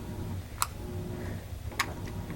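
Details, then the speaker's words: Vintage GE AC motor from about 1933–34, out of a window fan, starting: low steady hum with two sharp clicks as the centrifugal switch opens and de-energises the start windings; normal switch operation. "so what happened was once it started that click the switch opened up those windings are no longer energized"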